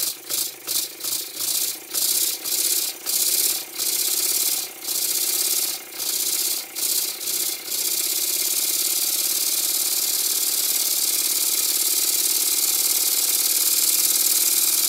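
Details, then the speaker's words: Old Bassett-Lowke steam plant engine resembling a Stuart S50 (metric fasteners, slightly different design), run on air fed by a pipe pushed onto the leaking steam chest cover; valve set fairly accurately: quick even exhaust chuffs about two per second, then steady airy hiss; runs freely with plenty of power. "I set the valve climbing fairly accurately and I'm surprised that it runs this well there's plenty of power as well"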